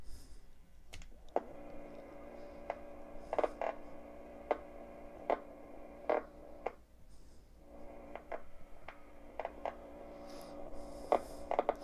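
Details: 1965 Record-O-Fone 100U answering machine with two-tape deck: steady low motor hum with mid-pitch whir and occasional clicks as the rim-driven rewind turns the spool normally.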